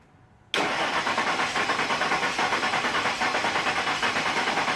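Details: 2000 Ford F150 4.6 V8 with P0301 misfire code, cranking with a compression gauge fitted on the number one cylinder: starter spins engine at an even, steady chug about three beats a second; normal cranking.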